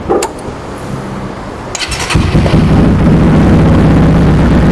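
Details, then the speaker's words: Motorcycle engine just rebuilt with BRT Super Bearing head, after ECU calibration and mapping, first start: catches after brief crank, settles into steady, even low idle, no knocks or misses; smooth, stable idle. "Nah, bisa teman-teman dengerin di sini untuk suaranya halus, langsangnya juga lebih stabil."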